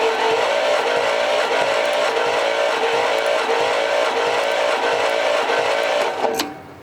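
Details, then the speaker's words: 1963 Studebaker Avanti R2, supercharged 289, barn find being cranked during a compression test (about 90 psi on this cylinder): steady whirring crank with faint pops, sounding electrical like something sparking; cause unclear. "There's sure something popping 90 around. something. That sounds electrical to me. It sounds like something sparking."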